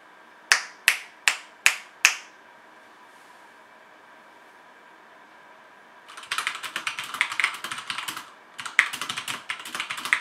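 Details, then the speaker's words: HyperX Alloy FPS Pro mechanical keyboard, Cherry MX Red switches, PBT plastic keycaps, aluminum top plate: typing test with crisp individual clicks then a fast even burst, clean bottom-out, no rattle; normal healthy typing sound. "so yeah the sound on this mechanical keyboard is very nice"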